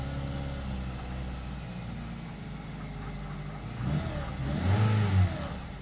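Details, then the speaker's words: Saab 9-3 with a hard cold start, first start on a cold morning after stalling once, given gas: uneven idle, then a ragged hard rev around the fourth second; rough cold running, cause unclear. "but that's what it does when it starts in the cold crazy"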